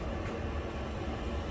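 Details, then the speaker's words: Newly installed diesel air heater in a van build, controller set to 75 degrees, running after five priming attempts; steady low rumble and rushing air with no surging, sputtering or misfire, hot air and fumes present, working normally. "It is working. After five tries of the priming, finally you can feel that hot air, you can smell that fumes. It is now working."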